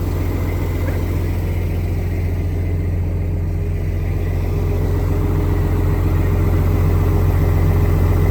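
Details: Diesel truck after sitting 11 years, cleared up: steady even low idle, smooth rumble, no knocks or misses; good oil pressure, airing up, airbags rising, some air leaks noted.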